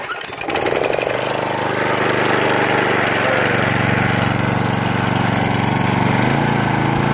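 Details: Machine after carb cleaning, restarted without choke after priming: catches within a second and settles into a steady, even single-cylinder run without stumbling; starts and runs fine.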